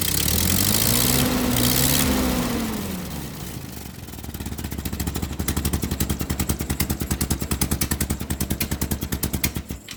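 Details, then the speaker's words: Ford 9N tractor with an aftermarket three-arm replacement governor, after revving: settles to a fast, even chuffing beat of about three per second instead of a slow idle; owner suspects the governor's internal shaft; high idle. "so even with revving the engine manually and pretty high it does not govern all the way back to idle it only governs from this position to about that position"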